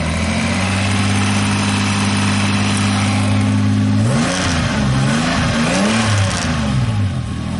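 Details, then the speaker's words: Engine-swapped truck with a manual transmission, idling and blipped: a steady low buzzing hum from the loose gear shifter vibrating, plus pitch swings with revs; gearbox noise is better than before but not gone. "Shooter makes a little bit of a vibration sound. hear that? But I'll fix that."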